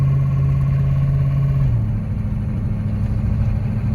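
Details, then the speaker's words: Land Rover Discovery converted to diesel, engine built from 2005 with long-stored original Bosch injectors, driving: engine drone drops abruptly as automatic gearbox upshifts, firm shift with slight bang. "but it shifts it bangs a little bit but i'm working on that it shifts nice and firm"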